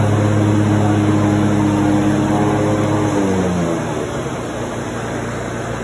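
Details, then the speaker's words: Grasshopper mower test run after replacing blade spindle bearings, pulley reinstalled, center bolt torqued to about 20 ft-lb: steady even drone winding down smoothly, no knocks or grinding from deck; normal after repair. "Guys, we got that grasshopper going one more time."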